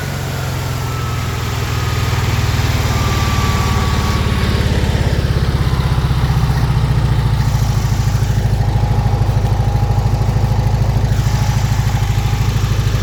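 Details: Weber IDF 40 carburetors clogged by ethanol fuel, new pump not feeding enough so fuel poured in, idle mixture being adjusted: lumpy uneven running with irregular popping and flames; backfiring, suspected too lean, also diesels at shutoff.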